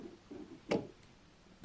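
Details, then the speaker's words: Fiat Ducato/Citroën Jumper/Peugeot Boxer 3.0 L Iveco engine with code P0638. The throttle body was rust-stuck from water ingress and has been cleaned. Two sharp clicks as the motor snaps the plate: the actuator still works after a couple of tries. The electronics are uncertain and it may fail again. "the little motor still works after a couple of tries"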